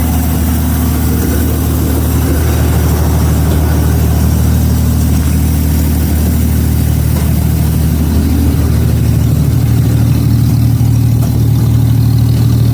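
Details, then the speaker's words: 1933 Auburn V12 Salon Speedster idling after decades in storage; passenger-side bank cutting in and out and popping while the other bank runs well, leaky passenger-side exhaust pipe present; owner suspects the leak and adjusts that side's idle mixture screw. "So, the passenger side isn't running as good as the other side. It's kind of cutting in and out and popping. This side's running good."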